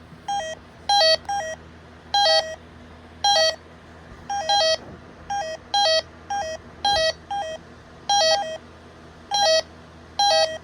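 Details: Bosch B9512G alarm panel keypad gives repeated two-note beep bursts, roughly one group a second, as the full-arm exit delay (accidentally set to 60 seconds) counts down and nears its end.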